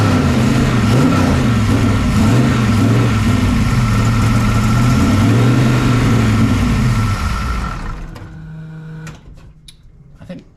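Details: 1969 pro street Camaro with 540ci big-block Chevy, salt-air corroded, first run after sitting: V8 lopes unevenly, beat stumbling about four times a second, then shuts off. Misfiring, not on all eight; ignition timing suspected off, not confirmed.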